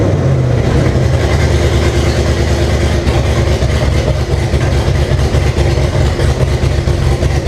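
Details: 1998 Jeep Cherokee with swapped 2005 5.3 LM7 V8, first start with open exhaust and no O2 sensors connected: lumpy, unsettled rough idle; owner suspects a vacuum leak somewhere.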